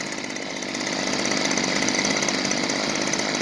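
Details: Stihl FS45C trimmer after new carburetor, fuel line and spark plug, warming up after start: steady high-pitched two-stroke buzz at even revs with no stumbling or surging. Normal running.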